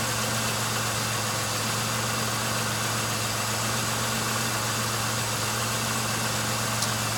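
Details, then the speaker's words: 1999 Pontiac Grand Am, about 90,000 miles, which had a rough idle and coughing starts, just after fuel cleaner was added: steady, even petrol idle hum with no stumbles, surges or misses; running smoother. "well seems to be already running smoother than it was so I'm gonna keep an eye on it"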